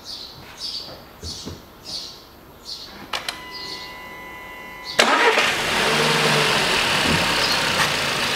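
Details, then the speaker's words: 2014 Volkswagen Beetle 1.4 with code P0236: engine revved, loud airy hiss of boost air escaping through an open intake manifold port where the boost pressure sensor was ripped out with its flange and mount, sensor lying on drive belt. "слышно как шипит воздух Давай смотреть осматривать е увидел на коллекторе сейчас если камера поймает вон отверстие вырвало датчик надува вместе с креплением с фланцем"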